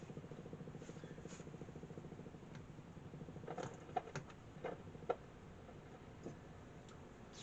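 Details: 1947 Invicta 200 valve superhet radio with volume down: a steady low putt-putt pulsing about ten times a second under faint clicks, motorboating; suspected around valve three's anode circuit, not confirmed.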